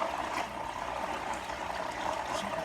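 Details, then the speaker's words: Marineland Emperor 400 aquarium filter before fix: loud, gravelly grinding buzz under gurgling water, impeller sounds crumbling inside and not pulling enough water to spin the bio-wheels. "pretty loud. And it's not sucking up water like it should, so the bio filters can roll, right? Sound like it's crumbling in the inside, and that's what this one was doing at first."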